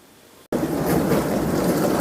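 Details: 21-year-old dishwasher that stopped washing when water pressure dropped, after cleaning clogged filters including the cold-water inlet filter: quiet hum, then the wash pump kicks in with steady rushing spray and water swish. Running normally.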